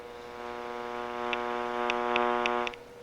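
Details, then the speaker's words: Uniden EXI376 900 MHz cordless phone with audio fault: steady low electrical buzz under the dial tone and on an open line, in receiver and outgoing audio; suspected base circuitry or power supply. "So, it sounds to me like it's an electrical type sound, and it could be something inside the circuitry in the base. It could also just be the power supply,"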